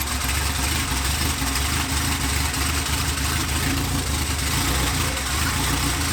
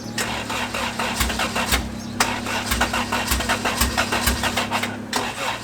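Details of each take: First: 1993 Honda Civic EG with fully built LS VTEC engine, first start, open header, stock old injectors, plugs gapped 0.035: loud steady drone, even firing, no knocks or misses; runs well once the plugs started working. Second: 1993 Honda Civic EG with a built LS VTEC engine (Manley rods, CP forged pistons, B16 head, GSR cams, old stock injectors, open header) at first start: an uneven, stumbling idle with pops and surges. It sounds like some cylinders are not firing; wiring or injectors are suspected.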